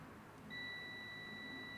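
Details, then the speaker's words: John Deere 317 garden tractor with Kohler Command CH18S engine, rewiring: multimeter continuity check at ignition switch magneto terminal as key is turned, clean steady high beep about a second and a half; switch doesn't match the wiring diagram. "Hear that beep? So yeah, that diagram's off."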